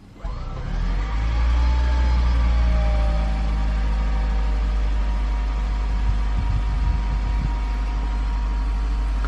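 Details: 2010+ Toyota Prius after hybrid battery pack replacement, in neutral with gas pressed so the engine runs to check the water pump: engine picks up quickly, then a smooth steady hum with no knocks or rattles; normal run.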